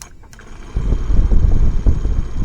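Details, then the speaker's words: 2006 Ford F250 HVAC blower motor wired straight to the battery gives uneven, fluttering low rumbles that randomly run, stop and pick up again; the motor is shorted and was replaced with a new one. "so it will randomly and then it just stops then it picks up and then it just stops she tells me she's got a short in the motor"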